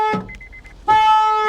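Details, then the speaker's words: Flood-damaged Mercedes with hail damage at auction, key won't turn: a few short chirps then a loud steady two-tone horn blares the moment the battery is connected; car alarm sounding on battery connection. "but like the uh the alarm goes off as soon soon as you turn or as soon as you turn that battery on this thing just starts going crazy at you"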